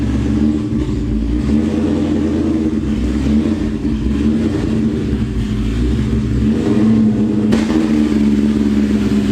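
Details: Built, cammed 2003 Cobra supercharged V8 (about 700 hp) with Borla ATAK exhaust, driven in cold rain after a retune now making 22 psi boost on 93 pump fuel: strong, even pull rising and settling smoothly with no stumble, surge or misfire; normal running.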